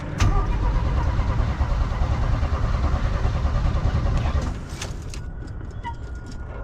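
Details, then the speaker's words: 1965 Chevy C10 with a Rochester Monojet carburetor and a dead accelerator pump: with a good starter and battery, it cranks fast and light for about four seconds with no compression beats, and near-zero compression is suspected, not confirmed. "Also, when trying to turn the engine over, starter's great, battery is great. This sounds like it has absolutely zero compression."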